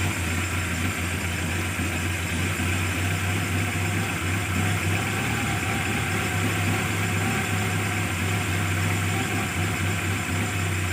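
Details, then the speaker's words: Carburetted engine after fixing hard starting, misfire and power loss by opening the solenoid valve and removing its needle, with the carburetor then adjusted; starts immediately, smooth steady idle hum, no misses or knocks; normal idle. "hasilnya bagus langsung hidup ya mudah sekali hidupnya"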